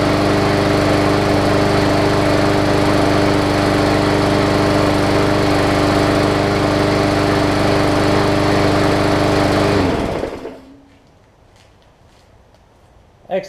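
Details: Hyper Tough Briggs & Stratton OHV single-cylinder push mower after burning off water left in the fuel from sitting over winter: steady, even buzz for ten seconds, then a clean shutoff; normal running.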